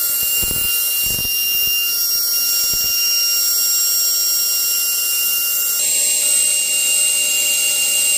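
Clean, steady, very high-pitched whine with no low rumble or roughness; the spindle runs smooth and even.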